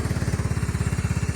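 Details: 1999 Cub Cadet HDS 2135 riding mower after cold start in cold weather: steady, even low putter, no misses or knocks, idles smooth and healthy; owner says it purrs, normal idle.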